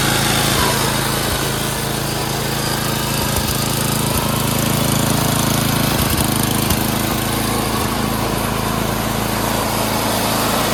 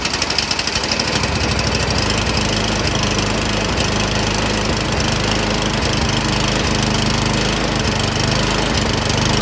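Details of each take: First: Craftsman 928 snowblower, 9 hp Tecumseh single-cylinder, after carb cleaning, jets cleared, and idle and governor screws adjusted: brisk, steady idle with no rise and fall. Normal idle, surging fixed. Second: Snowblower small single-cylinder engine surging, fast rough beat whose speed swells and sags instead of holding steady, a governor-hunting idle before repair; cause suspected, not confirmed.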